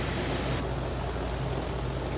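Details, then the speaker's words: Lennox heat pump package unit, indoor blower that had been noisy with no cooling, just fitted with a new blower motor and started: steady rush of air with an even low motor hum, no knocking or scraping; running smoothly. "so she should fire right up there she goes all right it's like that motor all right let's put the covers on it let these people get some air"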